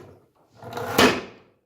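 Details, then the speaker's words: New Makita LS1216 sliding miter saw, possibly damaged in shipping: one rough, dragging metal scrape as the head is forced along its slide; two rails in the sliding mechanism bind and rub, lube did not help; cause suspected, not confirmed. "It's so violent that it's sticking somewhere, this sliding mechanism in there. You can hear it? It sounds bad. And it's something, it's really rubbing. It sounds like scraping metal."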